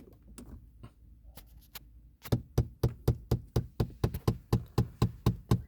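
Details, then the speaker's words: 2022 VW Vento, about 40,000 km: hollow knocks, about two a second, from behind the dashboard after pressing the air-recirculation button, lasting about 30 seconds; likely a flap actuator clicking. "ya escucharon este este ruido viene de aquí de la parte de aquí de atrás en este auto al menos en este dura no sé 30 segundos o algo así y se quita"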